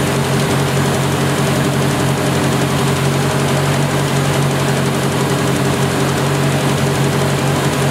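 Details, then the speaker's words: 1970 Opel GT barn find, first start in about 30 years, after a carb swap, new points and Bosch platinum plugs: steady low idle with a faint occasional stumble, slight miss and rough idle. Choke is fully open; owner suspects the carb and choke are not adjusted right. "it's still missing a little bit but it has the entire choke open over here it's been sitting a little while"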